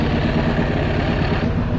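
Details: SXV550 twin, warm idle on the first ride after a two-year no-start was fixed with a proper TPS setup, a Shorai lithium battery and a GY6 starter: dense, even idle with a steady throaty pulse and no hunting or ticking. Runs properly, oil dark.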